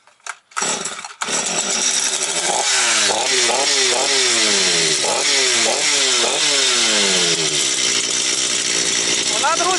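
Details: Stihl MS 250 chainsaw, about two years old, after no-start repair: a few sharp pull-starts on choke, then fires and settles into buzzy, slightly wavering cold warm-up idle; normal running.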